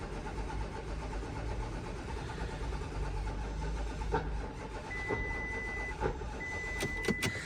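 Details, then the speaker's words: VW Touareg TDI, about 150k, no-start: a low, labored cranking churn drags then stops hard with a few clicks; a cylinder is hydrolocked by one leaking injector, high fuel pressure is not building, and there is a rail regulator fault. "Okay, so you heard the sound of the engine cranking and seizing at the same time. So it's hydrolocking because of the one injector."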